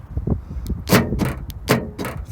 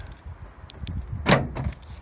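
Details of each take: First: Nissan NP300 Navara D23 pickup with a newly installed Eagle4x4 tailgate central-locking kit: sharp paired metallic clunks about a second apart as the noisy actuator flexes its bracket and hammers the metal behind it; foam padding planned as the fix. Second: Nissan NP300 Navara D23 pickup with a newly installed Eagle4x4 tailgate central-locking kit, tested outdoors on a windy slope: light wind noise, then one solid thunk as the actuator unlocks the tailgate; working properly.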